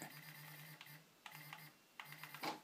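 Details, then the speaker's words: Prusa i3 MK2 3D printer during XYZ calibration, Z carriage driven to top of frame: bursts of buzzy stepper whir ending in a rough growl as Z motors stall at end of travel, the expected signal that the axis is aligned. "vous allez entendre un grognement un moment donné quand sa part l ordre c'est à dire qu'il faut tard il faut arrêter"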